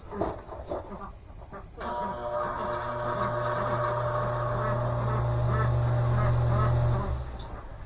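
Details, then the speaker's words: 12-inch thermostat-controlled variable-speed greenhouse shutter exhaust fan, ran nonstop all summer, no capacitor apparently: struggles at start, then steady low hum with a faint rough warbling drone; worn bearings. "struggles a little bit when it first comes on, and it ain't got no capacitor in it, as far as I can tell, but the bearings are wore."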